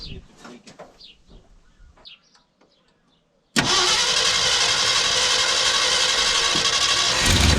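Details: 1972 Ford pickup with 360 V8, started after fuel pump replacement: after a few quiet clicks it fires at once and holds a smooth, even idle without stumbling; normal start and idle, no fuel leaks.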